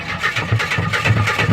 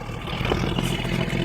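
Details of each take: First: 1976 Jeep DJ5D postal Jeep, two-wheel drive, on a makeshift battery, with fuel fed from a jerry can, throttle pressed about an inch: steady rapid starter churn with an even low chuffing rhythm, turning over without catching. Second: 1976 Jeep DJ-5D postal Jeep, carburetor gravity-fed since fuel pump is dead, leaking some oil and smoking: engine runs smooth and even, revving up without knocks or misses, good oil pressure; sounds healthy.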